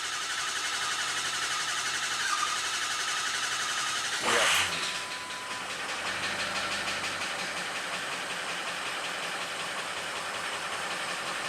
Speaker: i cut it that club kind of short because the engine was had a tapping noise